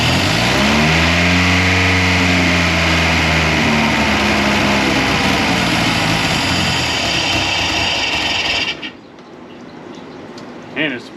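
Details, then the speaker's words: 1982 Fiat 124 Spider with a twice-rebuilt engine on its first start: good oil pressure, but revs flare up hard on their own before it shuts off; a massive vacuum leak is suspected, with a loose bolt found. "up like crazy so it could be a couple things we could have a massive vacuum leak"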